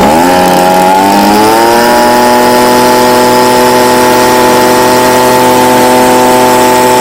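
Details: Stihl BG55 two-stroke leaf blower, formerly no-start, on new C1Q-S68G carburetor replacing a torn-diaphragm carb, during carb adjustment for more power: climbs smoothly over about two seconds, then holds a clean steady high-pitched drone without bogging; runs properly.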